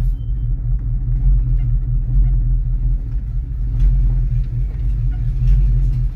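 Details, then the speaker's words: 1989 Ford Mustang GT, stored for years, also misfiring: a deep, constant drone over an uneven idle. It is the alternator, its bearing sounding seized and humming on its shaft, with no charging. "the alternator is what's making that loud humming vibrating noise it's terrible it sounds like a barend is locked up and it's just a humming on the shaft"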